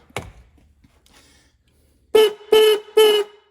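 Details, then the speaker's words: Restored 1960s Ford Mustang high-note horn, de-rusted and points filed: three short honks with high, buzzy, raspy tone instead of a clean note; contacts set too tight, owner says it worked better before cleaning. "Okay, scratchy. Not doing too well. I filed the points."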